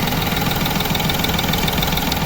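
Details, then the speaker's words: Chevrolet Beat diesel engine just after an overhaul, with engine mounts refitted, idles with an even, steady clatter: no hunting, no missing, sounding like the original factory engine, and the smoke is gone. "तो engine हमारा start हो गया, आप देख सकते हैं। कोई हैंटिंग नहीं, कोई मिसिंग नहीं, और A1 इंजन हो गया।"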